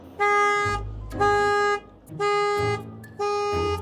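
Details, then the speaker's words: Land Rover Discovery with a Buick engine and 139,000 mi: the first key turn sets off the security alarm, four loud horn-like honks about one per second at a steady pitch. "Well, the alarm works."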